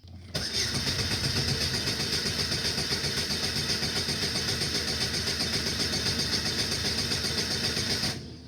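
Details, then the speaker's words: 2002 Saturn SL, about 150,000 miles, injector fuse pulled: starter cranks engine at an even beat of about four pulses a second, no start, compression sounds consistent; misfire suspected, likely needs tune-up. "okay uh sounds pretty consistent to me"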